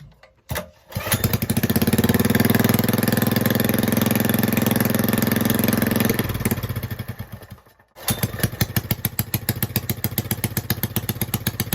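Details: Rebuilt Honda 5.5 hp single-cylinder engine with bent pushrods and other faults: catches, fades, restarts into an uneven, loping idle that stays rough with choke off; rough idle, cause not confirmed.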